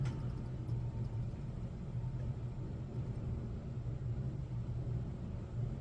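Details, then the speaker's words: Sega CD-X disc drive spinning after repair with disc loading: steady, even low hum with no clicking or ticking on top; the earlier click-click weirdness is gone, normal disc drive operation. "I don't hear that weirdness anymore, though."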